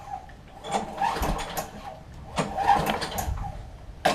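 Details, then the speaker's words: Craftsman 21-inch self-propel mower, spark plug disconnected, after removing the non-working key start: two slow recoil pulls with clean whir and clatter, the earlier metal-on-metal scraping gone; pull start healthy. "That metal on metal's gone away, which is a great thing. Makes it easier to start."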